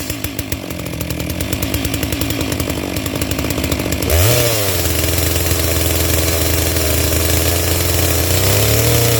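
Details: Brand-new NEOTEC NS892 chainsaw, a Stihl MS660 clone, on first start out of the box from half choke: uneven burbling idle then blubbery high-rpm scream; carb set on the rich side.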